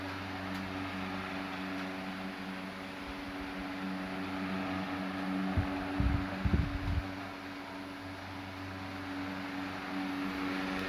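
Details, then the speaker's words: Late-1910s/early-1920s Marelli Bisa 12-inch table fan on high as the oscillator is switched on: steady motor hum, even blade tone, a few soft clicks as oscillation engages into a wide sweep; runs smoothly. "go back here and turn on the oscillator got a pretty wide sweep"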